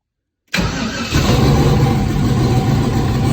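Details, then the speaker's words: Junkyard LS turbo engine, after swapping back flipped coil/plug wires: starter catches quickly, fires and settles into steady even idle without the earlier misfire and sputter; normal start and idle. "Son of a... I don't know, it runs. It clearly sounded way better when I swapped the wires around."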